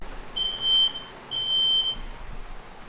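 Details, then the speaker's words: 1951 Chevy truck idling in a fumy garage: two long high-pitched beeps about a second apart over faint low engine rumble; detector alarming, likely from high carbon monoxide from exhaust. "I can hear the engine running, I can hear that beeping in the background. It sounds like a fire alarm, but the carbon monoxide, I guess the levels were high in here."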